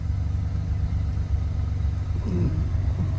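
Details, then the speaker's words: Ford Bronco under restoration, after fuel line and radiator hose work, warmed up: steady low idle running smoother than before but still slightly faster than it should after coming down on its own; high idle. "Okay, it came down on its own. Uh still looks a little higher than I think it ought to be,"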